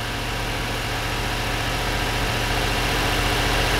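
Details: 1992 Corvette at warm idle after exhaust repair, lumpy uneven low thump with roughly three to four stumbles a second; misfire at idle, bank identified via O2 and fuel trim data.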